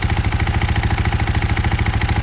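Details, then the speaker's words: 2021 KTM 500 XCF-W at 4,400 miles with a manual cam chain tensioner fitted: light, fast top-end tick over an even single-cylinder idle; valves checked good, owner suspects a valve guide, not confirmed. "but that's the tick i'm talking about [Music] not very loud but it's been doing that since about an hour went checked all the valves valves were good um i kind of think it might be the guide"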